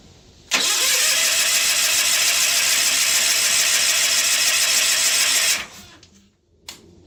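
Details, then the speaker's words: John Deere 316 lawn tractor: plugs gapped and sparking, oil present, gas dribbled into the open carb. Starter grinds steadily about three to four turns a second for five seconds, never catches: cranks, no start. It started after more gas was poured in. "that's disappointing. Let me pour a little more gas in the carbon. Let's see if we can get it running."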